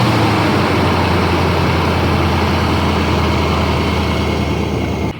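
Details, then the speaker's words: 2005 Nissan Armada V8 after a P0308 cylinder 8 (bank 2) misfire was fixed by replacing the spark plug and ignition coil: the engine, which had shaken badly, now idles smoothly with a steady even rumble and no stumbles. "not shaking at all. The engine is running so smoothly. Even the noise changed already."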